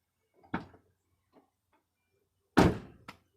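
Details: 2006 Buick Rendezvous left rear door after fixing the panel rattle by realigning trim clips into their holes: two solid, clean door thuds with a short latch click; no tinny rattle remains.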